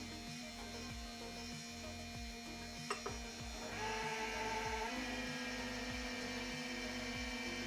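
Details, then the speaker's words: Ender 3 V2 3D printer after about 150 hours of nearly continuous printing, restarted: small cooling fans hum with wavering whine and rough pulsing about three times a second from wearing fan bearings; normal again two minutes later. "this noise tells me that the bearings of those fans are already wearing down pretty fast"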